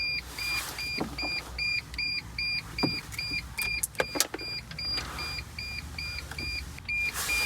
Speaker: when you close the door it's not doing that noise that's how it is you gotta have the door gotta be because there's a piece of the key stuck in there so the thing thinks there's a key in there